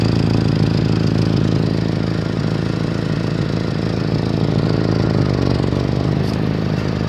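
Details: 1989 Honda Civic with an exhaust leak at the center pipe: steady idle with a fast, slightly irregular puffing tick riding on the exhaust note.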